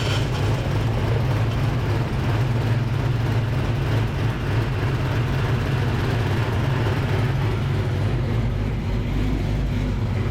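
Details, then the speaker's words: Fresh Ford 306 HCI engine in Fox Body, first start-up after water leak fix and belt install: steady even low rumble at idle, no knocks, misses or whine; normal idle. "seems to be doing pretty good doing pretty good guys"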